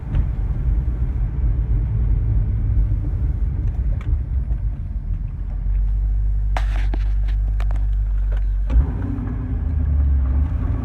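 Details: C6 car driving in gear once warmed up: steady deep rumble with a low drone that shifts with load. Not heard when revving stationary, and it goes away after idling a few minutes; source unknown.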